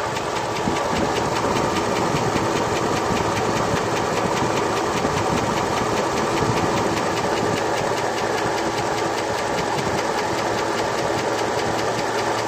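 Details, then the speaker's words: 2002 Chevrolet Avalanche 5.3L LS, fully warmed up, idling at about 500 rpm with oil pressure over 50 psi on 30-weight oil, new Comp cam, lifters and rockers: fast, even light top-end ticking that follows engine speed over a quiet idle. Cause not confirmed. "As you can hear, the valve noise is about the loudest thing you hear right now."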